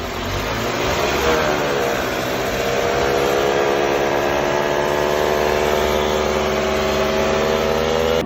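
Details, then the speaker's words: Running engine with a worn needle bearing inside a transmission gear: steady whirring hum that rises briefly then holds, heard from the gearbox. "También tienes que saber que la mayoría de los engranes de la transmisión contiene en la parte interna de manera transversal un valero de agujas como este. Cuando estos se dañan, se puede escuchar un ruido en la transmisión, algo así."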